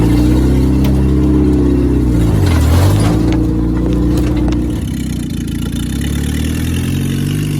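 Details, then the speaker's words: International Scout 800 revived from junkyard, first drive after freeing stuck engine, carb tuning and new fuel pump: engine revs up and settles smoothly, even deep exhaust beat, no knocks or misses; running healthy. "i'll tell you what i can't believe how good this engine's running now i've done some carb tuning off camera and stuff"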